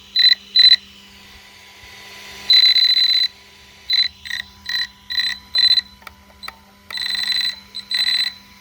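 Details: ARRMA 1/8 Kraton 6S BLX brushless 4WD RC car: short bursts of shrill, high-pitched whine with each throttle blip, cutting out in between; loud motor/ESC noise of unknown cause.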